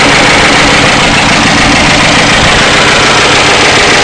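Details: 1992 Ford Crown Victoria 4.6L at idle: loud busy clatter roughly three beats a second, internal mechanical noise; owner suspects low oil pressure and plans to replace the oil pump, cause unconfirmed.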